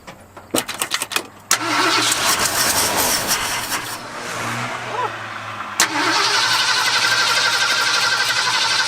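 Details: Late 1978 Ford F-150, previously flood-damaged: cranking catches into a ragged run that sags and nearly dies, then relights; fuel starvation from air drawn in through the fuel line.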